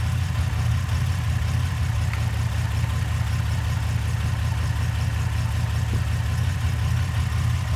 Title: Light #4 misfire